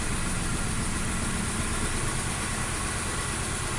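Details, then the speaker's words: 2016 Nissan Note 1.2 supercharged three-cylinder, code P0302, low power: lumpy, loping idle; cutting cylinders one and three stalls it while cutting number two changes nothing, so cylinder two is dead. "so when I'm when I kill number three on number one the vehicle shut off when I kill number two nothing happened"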